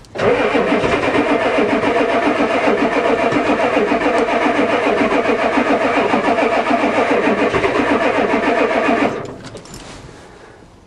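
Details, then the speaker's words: Ford diesel truck: glow plug controller not heard clicking, 'wait to start' shown; the starter churns steadily about 3.5 times a second for nine seconds, firing slightly but never catching. Cranks but won't start, cause unconfirmed. "all right here we go oh let's try again the old one used to do lots of clickings it actually fired a little here we go"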